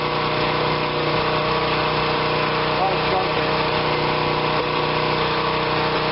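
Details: Generac 2500 psi pressure washer, small engine, bought not running, choke on, oil slightly overfilled with possible water in it: steady, even drone with no misses or knocks; runs smoothly, holds speed, sounds healthy.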